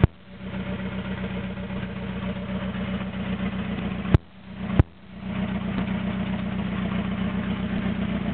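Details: Toyota AE86 with naturally aspirated 4AGZE on a re-pinned bluetop harness, ECU, injectors and fuel rail, no exhaust past the downpipe: unsteady, loping idle with rpm sagging twice as if nearly stalling; rough idle it struggles to maintain.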